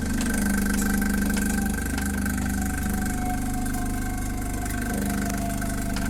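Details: Saeco Vienna Trevi Chiara coffee machine, reassembled after its doser kept clicking at power-on: steady motor hum with a low even tone and mild regular pulse, no knocking or rattle; normal operation.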